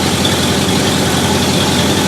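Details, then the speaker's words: 1968 Ford Galaxie 500 V8 with Holley carb, idle mixture screws set 1.5 turns out: steady, even burble with no miss at about 620 rpm, above the 550 target; idle speed too high. "i can already tell when my crew bottles have uh 620 or so that's just a little high it should be closer to 550 for this application"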